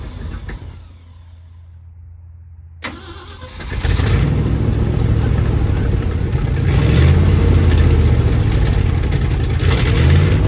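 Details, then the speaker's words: 1967 Ford F-250 Highboy, 352 V8, four-speed, long abandoned: started in gear with tire strapped to free a stuck clutch; starter cranks, engine catches and runs rough and loud under load, clutch seemed to pop loose, not certain. "I'm going to put it in gear try to start it in gear with the tire strapped it's either going to break a strap or break the clutch loose"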